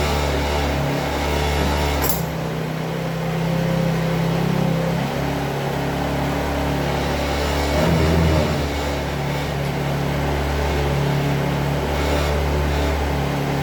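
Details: Chinese Hoabon 50cc scooter after kick-starter repair and consumables replacement: steady low two-stroke drone with a lively, even beat and light revving swells, no knocks or misfires; running normally.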